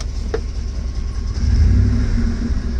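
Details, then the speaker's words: Ford F-150 with 5.4L 3V Triton V8, engine hot and revving: loud rough top-end clatter, loud enough to hear from inside the cab, occurring only when warm; timing chain suspected, not confirmed. "Well, she's very loud, so. Wow, that's really loud. Like you could hear it from inside the truck."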